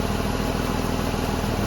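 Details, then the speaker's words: 2006 Ford Escape 3.0 V6 after alternator replacement, charging well after about half an hour running: smooth steady even firing with no knocks, ticks or squeals; normal idle. "But as far as the alternator goes, everything seems to be charging up good. Sounds good."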